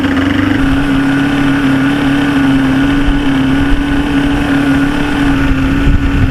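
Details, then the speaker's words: 1995 Force 40 hp outboard mounted on a boat, after rebuild work for water in the cylinders: steady drone at fixed speed over an uneven, lumpy beat; running rough, owner suspects air trapped in a pump or timing, unconfirmed. "she's running but she's got that lump to her if you can hear it I'd hate to rip it apart again but I'm going to have to fix see if it's not like air trapped in a pump somewhere if it's not like a timing thing or something weird like that"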